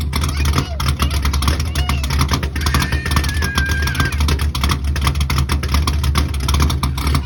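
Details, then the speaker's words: C3 Corvette stock-bottom-end Chevy 350 with aluminum Pro Comp heads, Comp 292H flat-tappet cam, 1.5 roller rockers, before turbo: deep, lumpy, unevenly loping idle with rhythmic choppy pulse, otherwise steady; normal choppy idle from the aggressive cam. "As far as the choppiness of the cam, I'll try to put a little video clip here of it before it was turboed, just to give an idea of what it actually sounds like."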